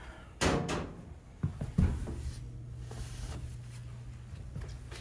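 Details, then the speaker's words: Door swinging after silicone spray lubrication of previously squeaky hinges: a few soft latch/frame clunks, no creak or squeal; hinge quiet. "that's it that's all you need takes 30 seconds not a peep easy"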